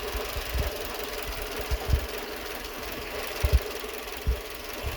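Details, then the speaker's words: Renault Twingo 2 D4F engine, idling after work on plugs and ignition: lumpy idle with uneven low thuds and stumbles every second or so, running on three cylinders; misfire, garage blamed an injector, owner suspects injector or coil, not confirmed. "On a toujours le bruit. Probable aussi un injecteur, parce que le bruit c'est pas normal."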